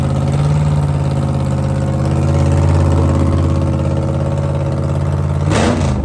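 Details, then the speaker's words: Supercharged 1957 Chevy gasser V8 at idle: lumpy, deep, steady and even with a strong low rumble and a short rev near the end. Sounds healthy, normal idle. "Sounds good. Sounds [snorts] healthy. Sounds like I should have took it last night."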